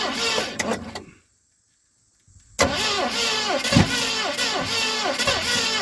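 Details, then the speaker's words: 1970 Mustang Mach 1 starter churns steadily at about four cranks a second with no catch. The loose distributor is being turned back the other way after getting nothing, with carburetor bowls being filled and plug condition unknown; cause unconfirmed. "Okay, so we gotta go back the other way because we ain't getting nothing out of it that way."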